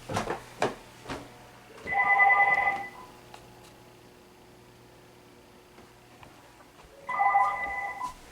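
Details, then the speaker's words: Home phone line rung via X-Link adapter ring function: two warbling ring bursts with an extra beep and stray clicks as a waterproof cordless handset with an apparently failing charger power supply briefly seizes the line during ring cycles. "Okay, so I'm going to ring this again, and let's go listen to what's going on. You might hear there's a problem. Hear that extra beep?"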